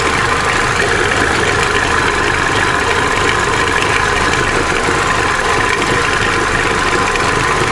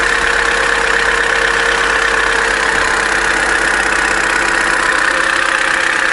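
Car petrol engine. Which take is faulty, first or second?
second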